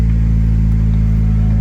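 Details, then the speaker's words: Honda Civic EK, first startup running with no catalytic converter: loud, deep, steady low-toned rumble without treble; owner says it's not too terrible, check engine light comes on because of the missing cat. "So I'm gonna start up. We're gonna hear how it sounds with no cat. And yeah, let's see the first startup."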